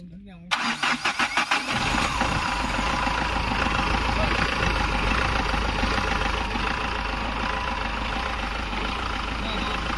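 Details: Mahindra Xylo diesel, after repair of a no-start fault with engine vibration: a few quick cranking pulses, then it catches at once and settles into a steady, even idle with no vibration.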